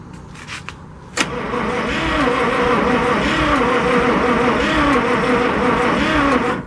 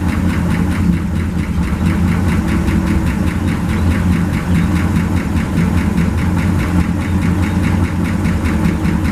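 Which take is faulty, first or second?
first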